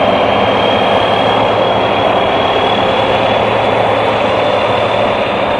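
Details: Real BR Class 74 electro-diesel No. 742 at Eastleigh in 1974 on diesel power: steady roar with constant high turbocharger whistle from the Paxman engine, unchanging throughout; normal running, turbo healthy.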